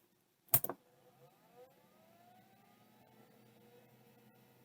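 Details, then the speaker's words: Late stepper-motor hard drive from a mixed batch of vintage drives: sharp click then smooth rising whine as platters spin up, no grinding, bearings sound healthy; no auto park observed; normal spin-up. "that was an awesome sound I hope you could hear that uh bearings sound beautiful in this drive as well"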